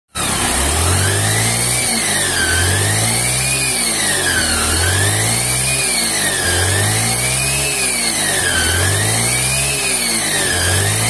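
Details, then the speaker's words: Honda Vario/Beat scooter with a whistling whine from the gearbox that rises and falls with each throttle blip, and the wheel drags. It started after a recent gearbox replacement at another shop. "teman-teman jadi suara itu nyuling jadi rodanya juga seret nih"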